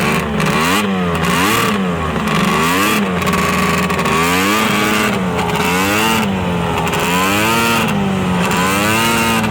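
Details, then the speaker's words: Arctic Cat ZRT 600 triple two-stroke snowmobile, center plug boot reattached: crisp three-cylinder buzz with repeated throttle blips, pitch rising and falling cleanly; the fuel pump works and the engine runs properly. "i'd say that pump works just fine sounds like a triple well i guess now that it seems to be running the way it should be"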